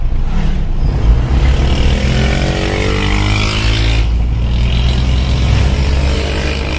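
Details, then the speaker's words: Isuzu Panther diesel after engine overhaul and thermostat installed, driving about 5 km, temperature reached just under half; steady low diesel drone under road noise, no knocking, pulls better, less smoke; normal diesel engine running. "otomatis juga lebih Oke Rasanya lebih suaranya lebih enak dan tarikannya lebih dapat ini"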